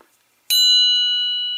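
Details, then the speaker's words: Ring test on a true steel chromoly cam gear for a VW engine build: a single tap gives a clean, high ringing tone that sustains and slowly fades, the clear ring of hard steel, unlike the cast lower crank gear. "I want you to listen to this to this cam gear all right that is a true steel chromoly cambiar"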